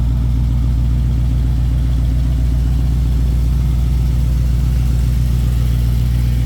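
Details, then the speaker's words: 1972 Ford Mustang Sprint idling with the AC on: deep, smooth, even rumble with no knocks or misses, the tone shifting slightly as the working AC loads the engine; normal healthy idle. "and that's what the AC on so you might hear the idle change tone just a little bit because the AC is actually working"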